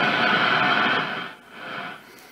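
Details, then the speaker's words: Zenith Trans-Oceanic R600 shortwave radio after FILT-R-PAK 60+ power supply install and full recap (15 capacitors), before alignment: French AM amateurs on 80 m band just below 3.8 MHz, clear hiss, no hum or crackle; normal reception. "some uh french amateurs on the 80 meter band i'm on uh this band here and uh just below uh 3.8 on the on the amateur band scale so some am uh ham radio operators"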